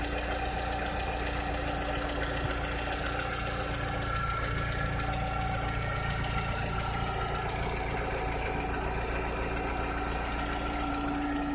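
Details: 2006–2007 VW SpaceFox engine at idle: steady, but a faint uneven rattle sits under it with a thin constant tone; unusual engine noise, source unclear.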